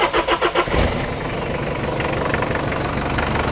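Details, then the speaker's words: Mitsubishi Kuda 2.5L diesel being checked for blow-by, cranking then idling with rough puffing chuff over diesel clatter; the exhaust pipe is leaking, giving a "bos-bos" sound. "Ini knalpotnya bocor, jadi masih suaranya bos-bos gitu."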